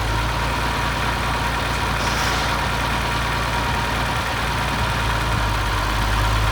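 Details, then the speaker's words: 1972 Massey Ferguson 1100 diesel tractor, 94 hp, long-abandoned, just revived with starting fluid: deep, steady diesel thump at idle, a firm low rumble with no misses; normal idle. "Well, there you have it. She's running."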